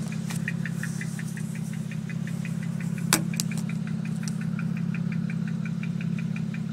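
Low engine hum with an uneven, lumpy beat and a light ticking near three per second; the idle stumbles like a misfire.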